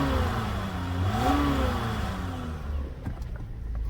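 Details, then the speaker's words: Normal idle of a 2001 Toyota Avalon XL, 3.0-litre V6, at 366,000 miles with timing belt done: a soft low hum that rises briefly then settles into a quiet, steady idle with no knocks or ticks; healthy engine. "You can't hear it run. I mean, what did you expect? The good old Toyota 3-liter V6, man. These things run forever."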